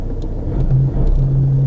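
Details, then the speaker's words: 2013 Vauxhall Insignia diesel, 120,000 miles, at idle: a heavy, lumpy low rumble with a coarse shake and no clean tone, from a worn flywheel and clutch rather than the engine mounts the owner first suspected. "I wonder if it's just could be if I'm lucky it could just be the engine mounts if they're shot that could be whites vibrating excessively"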